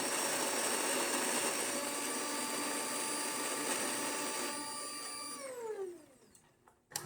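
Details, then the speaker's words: DeLonghi Magnifica after a full service, including an encoder reset after a general alarm: the brew unit motor whines steadily as it moves up and down, clicking its position switches, then drops in pitch and stops cleanly as the unit seats. A normal brew-unit cycle. "As you can hear, it's clicking those switches as it goes up and down, making sure that the brew unit is in there, and now we're ready."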